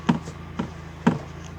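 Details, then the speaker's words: UAZ Patriot at idle, steering column knocking when the wheel turns left: three dull, hollow knocks over a low idle hum as the steering shaft hits the body after its torn rubber support boot failed. "небольшой ролик заметка появился стук в колонки рулевой сейчас продемонстрирую"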